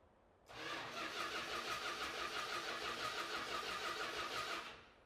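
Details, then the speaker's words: Dodge Hemi Daytona with automatic transmission on its first start attempt: the starter churns steadily about four seconds with even pulses, but it never fires. Timing seems close; no spark through the coil is suspected. "Not getting anything now."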